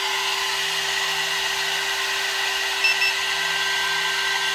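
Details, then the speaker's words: Air-cooled 1.5 kW 110 V CNC spindle on a 2.2 kW VFD, run at full speed (24,000 rpm) for a five-minute heat test with reworked cabling: steady clean high whine near 400 Hz over even fan hiss, no wobble or roughness; healthy spindle. "this is air cooled spindle so i just want to see how it performs like running full speed uh for five minutes"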